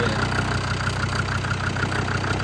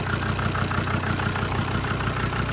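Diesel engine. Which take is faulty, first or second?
first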